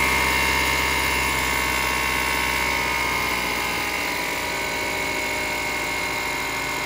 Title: BMW 328ix Engine Noise